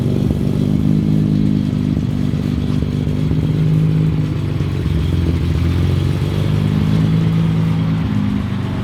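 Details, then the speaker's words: Datsun 280Z cold start in the garage after previous fixes. The engine fires and hangs at high, uneven revs instead of settling to idle. This over-revving on start is a prior symptom, now worse than the night before; the cause is unknown to the owner. "So it started and it over revved on start, which is a symptom that we were having before, but now it's like it's worse."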